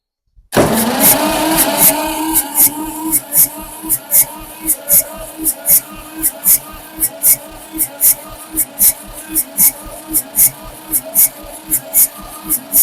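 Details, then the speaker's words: 1962 Massey-Ferguson 35 Super Deluxe, 3-cylinder Perkins diesel, after glow plugs and starting fluid: starter grinds slowly about three and a half pulls a second for over ten seconds without catching; starter getting hot, owner suspects not enough juice to crank it. "okay maybe this stuff just ain't got enough juice in it to crank it"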